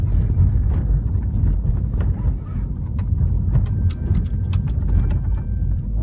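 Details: 2013 Chrysler 300 driving: light, irregular ticking rattles from the rear parcel shelf (rear dashboard) over a steady low road rumble.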